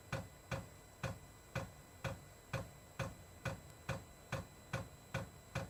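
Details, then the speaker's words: Diesel parking heater (all-in-one type) newly installed in a shuttle bus RV conversion, first test fire: crisp regular ticks about twice a second as the dosing pump fills the fuel line before the igniter lights it; normal priming. "It has to pump that fuel line full. As soon as it gets fuel, the igniter will go off and it'll start up."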